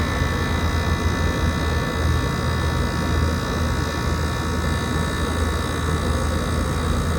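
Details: 2012 Frigidaire 18,500 BTU slide-out chassis window/wall air conditioner, R-410A, 220 V, almost 14 years old, first spring startup at about 88°F outdoors, still blowing cold. Steady low hum, even fan rush, no knocks, rattles or squeals: normal running.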